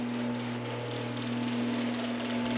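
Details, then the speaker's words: Genie screw-drive garage door opener run with the door arm unhooked: low steady motor hum with no grinding or clatter, very quiet normal operation. "very quiet yeah this is honestly it's got to be the quietest genie screwdrive i've ever heard"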